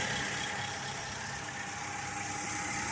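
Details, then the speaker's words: 2002 Ford Crown Victoria 4.6L V8, 103K miles, cold around 50°F, intermittent cold-start issue, idle air control valve suspected: uneven chugging idle with loose irregular beat under hiss, unburnt fuel smell, temperature gauge not yet moving; rough idle. "it's chugging along like it's four decades old good grief"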